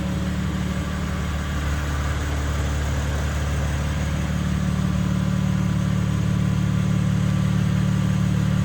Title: 2nd Video BMW M3 Humming sound